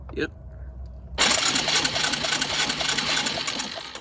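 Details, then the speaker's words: Suzuki Quad Runner LT160 single-cylinder ATV, long unknown condition, cranked by the starter solenoid at about three and a half compressions a second with no firing; spark test at the plug boot shows no spark; crank-no-start. "Any spark? Nope. No spark."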